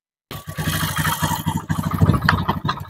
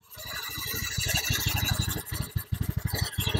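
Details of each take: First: Honda Beat FI scooter with rough engine noise, running with CVT roller housing removed: coarse uneven rattling idle persists; worn piston and cylinder. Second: Honda Beat FI single cylinder after new piston fitted, running with CVT and engine checked: smooth even idle with short throttle blip, no rattle; healthy idle after repair.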